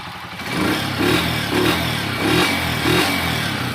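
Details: Honda TMX 125 motorcycle after carburetor service (spark plug, ignition coil, CDI already replaced; previously misfired and died off throttle): crisp even throttle blips about every half second, clean rise and fall, no misses or popping; normal revving.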